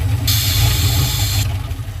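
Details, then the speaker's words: 1967 Dodge D100 being revived, after a vacuum leak fix and idle screw adjustment: deep steady idle with a brief rough patch as it advanced, quickly settling into an even beat; no apparent water leaks, running great. "how it ran like crap for a second it advanced we don't have any apparent water leaks and it's running great awesome"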